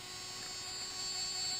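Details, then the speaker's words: New Traxxas X-Maxx RC truck steering servo, connected to receiver and steering linkage, sitting still: constant high thin hum over quiet ESC fan, louder under slight load, with TSM on or off; replacement being shipped. "now I'll connect I'm gonna connect the reason their servo to the receiver and then you'll start to hear the humming noise which don't that bad yet but you'll hear the humming coming out of this servo which I've never heard like this before"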